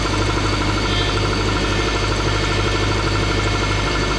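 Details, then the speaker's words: 2006 Subaru Forester idling: constant moaning whine from the power steering pump, louder depending on temperature and sitting time, steering stiff when cold, fluid kept topped up; later fixed with new O-ring 34439AE021. "but basically power steering here when you start hearing that and your car's just idling it means i mean it can mean a few things one it means that your power steering fluid is low"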